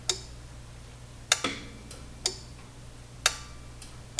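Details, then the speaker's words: Pioneer SX737 receiver relay bench-tested on about 20 V supply while voltage is raised and lowered: six sharp, crisp clicks about a second apart over a faint hum, relay switching in and out properly, so relay ruled out. "And there, my relay clicked in. I'm bringing the voltage back down, relay click out. Bringing the voltage back up, the relay clicked in again."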